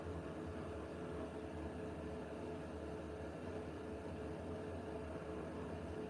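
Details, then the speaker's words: Newly installed Siemens washing machine running: a faint, steady, slightly higher-pitched whine, like an electric bus, over a soft even hum. Still very quiet, with no knocks or rubbing. Healthy motor. "Like a a whine. Can you hear it? It's slightly different. It's like a If the camera might not pick it up. It's like a pitch. A little like a higher pitch noise."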